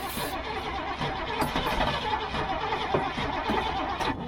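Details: Old gasoline GMC bucket truck with Holley carburetor issues, cranked from the cab while the throttle is feathered: a continuous labouring crank with rough uneven pulses that never catches; fuel reaches the filter, cause unconfirmed.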